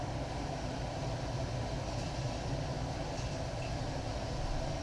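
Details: Englander 25-PFS pellet stove after cleaning and combustion blower replacement, heat range turned up: steady, even rushing whoosh over a low rumble, no rattles or scraping; combustion blower normal.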